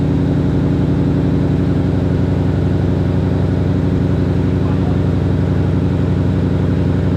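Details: Supercharged Ford Mustang idling right after JLT cold air intake install (no tune), first start: loud, steady engine note, even fast firing rhythm, no misses, rattles or hiss; normal idle.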